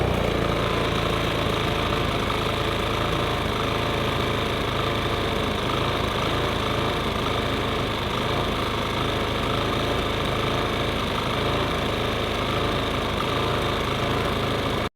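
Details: Briggs & Stratton P2000 PowerSmart generator run after fuel pump replacement (it had sputtered and shut off while in use); steady, even engine drone holding constant speed, no surging or stumbling, normal running after repair.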